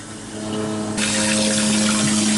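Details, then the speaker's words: Toilet cistern refilling after a flush: rushing water with steady whistling until the tank is full, caused by a worn diaphragm washer in the float fill valve; fix is replacing the washer. "you can hear it now if I flush it how about is that an outside the toilet that just goes on and on until the tank is completely full"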